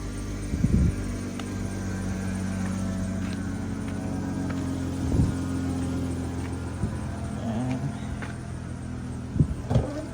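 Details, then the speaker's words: Dodge Caravan idling rough with white smoke: uneven hum and irregular thumps from a misfire on cylinder 3, with check engine light and oxygen sensor reference voltage circuit and fuel system codes. "Duds Caraban. Ito ang problema niya. Mausok na puti at palyado"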